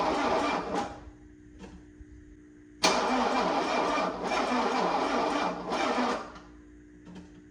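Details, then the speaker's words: 1984 Mercedes-Benz 300SD diesel, neglected project, fresh oil, no glow plug light: two labored, dragging, uneven cranking bursts that never catch; battery too weak to spin it fast enough, being charged. "So I'm just gonna wait for the battery to hopefully charge up a little bit."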